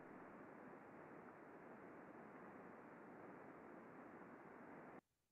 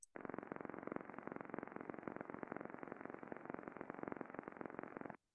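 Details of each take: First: Coupling heard through an ultrasound condition-monitoring data collector (heterodyned): only very quiet, steady white noise, no impacting or repetitive content; healthy coupling, normal running. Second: Shaft coupling heard through heterodyned ultrasound data collector, amplitude around 15,000–20,000 dB microvolt versus a few hundred when healthy: hard, rapid, even knocking about 2.5 per second with rotational-speed harmonics in the FFT; bad coupling impacting.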